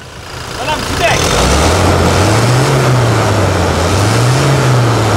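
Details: Toyota Hilux diesel revved just after service with fresh oil. It rises from idle into a smooth, even rev with a steady tone and returns cleanly, with no knocks or rattles; the engine sounds healthy.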